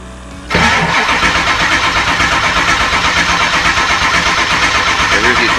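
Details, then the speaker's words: 2002 Ford F350 7.3L diesel, 238K miles, after injector cup and O-ring repair and clearing oil hydrolock: cranks and catches quickly but idles lumpy and uneven with missing beats, firing on only the driver's side bank. "It fired up fairly quickly on these attempts. The bad part was it was only firing on the driver's"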